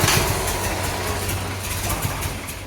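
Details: 1975 Chevrolet C10 on a crank test after fuel pump checks, where a bad diaphragm is suspected. The starter drags the engine over sluggishly in uneven low thumps and it never fires: slow cranking, no start.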